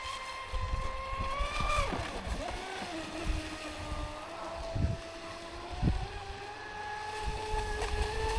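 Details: Traxxas Spartan SR RC boat on 6S, second run after second repair (servo mount replaced, hull bottom repaired); clean motor whine rising and falling with throttle over splashing water, earlier crackling noise gone; normal running.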